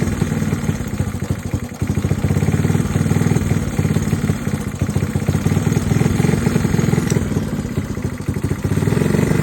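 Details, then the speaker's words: Honda Trail 90 single-cylinder idling unevenly, surging in slow waves while the carburetor screws are being adjusted; idle to be turned down. "You can hear how it's surging, so we're gonna turn the idle down."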